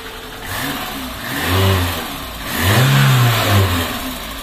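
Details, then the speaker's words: VAZ 2110 with strong body vibration and knocking, after fixing incompatible Priora stabilizer and checking alternator mount: two clean throttle blips rise and fall smoothly, no knocks or rattles; normal revving, vibration gone. "Всё прочно, выглядит хорошо, всё горит. Ну вот и всё , ребята, это всё. Вибрация полностью исчезла."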